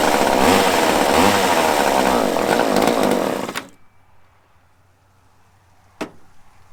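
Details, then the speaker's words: Small chainsaw given fresh gas and choked, with fuel seen reaching the carb so the impulse/pump works: it buzzes with a wobbly, surging rev for about three seconds, then cuts out. Uneven running, cause not pinned down. "Well, I know the impulses or the pump's working because I can see fuel going to the carb, so we might have to play with that one a little bit. But it runs too."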